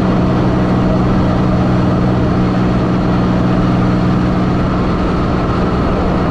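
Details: 1984 Fiero wide body with 3800 V6 swap, on the road after reused header gaskets were replaced and a V-band clamp added: steady low cabin drone, no ticking or puffing at the manifold; the exhaust leak is gone.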